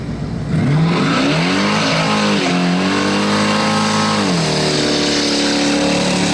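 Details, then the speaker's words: 1978 Chevy C10 pickup with a 383 crate V8 of about 430–450 hp and a self-tuning fuel injection system, after the MAP seal was trimmed: it pulls hard at wide-open throttle with a clean, steady roar and tyre squeal in a burnout, no stumble. "now the thing actually runs well and what better way to get a self-tuning system to tune wide open throttle then with"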